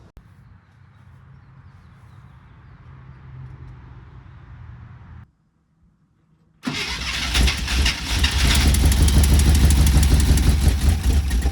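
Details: 1972 International Cargostar, first start after new plugs replaced fouled worn ones, electric fuel pump added: quiet cranking, pause, then fires into a loud, busy top-end clatter about three taps a second; noisy lifters.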